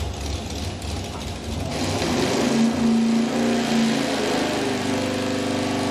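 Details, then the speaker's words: Dyno-tested V8 at high RPM after fitting a hotter external ignition coil: ragged uneven roar instead of a clean scream, a high-RPM misfire unchanged by ignition swaps; suspected cause is the distributor. "Uh, we should probably look at curves, but I think at this point we can say nothing we've done has made any difference whatsoever. It's still a mess."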